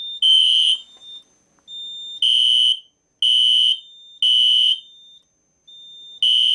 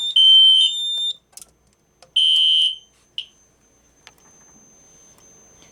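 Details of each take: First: System Sensor Spectralert P1224MC horn strobe on code three low, powered by Kidde FX panel's full-wave rectified output: harsh, buzzy horn bursts about every two seconds, rough and low; horn raspy tone on FWR power. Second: System Sensor Spectre Alert P1224MC horn strobe on Kidde FX panel running on batteries, which switches output to filtered DC: loud, clean high-pitched blasts about a second each, repeating, smoother than on FWR — normal horn strobe tone.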